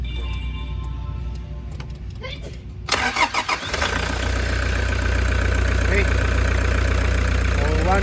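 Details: Toyota Hiace: a few seconds of quiet, then a short crank catches at once and settles into a steady, even idle. A clean, normal engine start.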